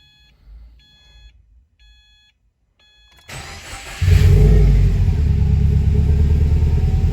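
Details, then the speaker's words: Freshly rebuilt Subaru WRX engine, first start after reinstall with fuel pump fuse replaced once oil light went off: a few chimes, short crank, catches at once and settles into a loud, steady, even idle; normal start and idle. "all right car fired up perfectly"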